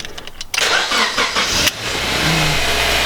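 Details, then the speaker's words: Honda CL9 automatic-to-manual swap, started by holding a switch on the negative wire after key-on; rapid starter cranking for about a second, then the engine catches cleanly and settles to a steady even idle: normal engine start. "she starts up. Then you can disengage that, so it doesn't really matter."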